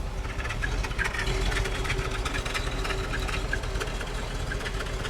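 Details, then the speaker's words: Original 1966 Buick Wildcat, 10,000 miles, 425 cubic inch Nailhead V8, automatic, heard from the rear: even, steady low exhaust burble at idle with no ticks or knocks; smooth, healthy idle. "We'll listen to the nailhead. We'll let it idle. Okay. I'll walk to the back and listen to it idle."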